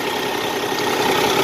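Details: Cummins ISX diesel in a heavy truck after turbo and actuator replacement: short even idle, smooth and steady with no whine or rattle from the turbo.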